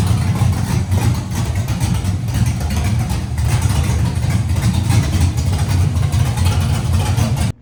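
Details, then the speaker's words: LS-swapped Nissan D21 Hardbody, LS V8, no radiator hoses yet, brief run: deep choppy idle with even cam lope, no dropped beats; runs well. "just think it runs which is super awesome we got all that worked out the thing actually runs and runs well from all from all the 17 seconds it's run"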